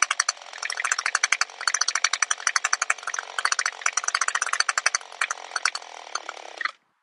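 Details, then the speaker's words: Older Echo SRM two-stroke trimmer with a new HiPA replacement carburetor. The idle speed screw, which presses on the throttle, was backed off too far. Slow, uneven pops, then the engine stalls; it was cranked back in a few turns and restarted. "see i went too far i'm just going to crank it in a few turns start it back up"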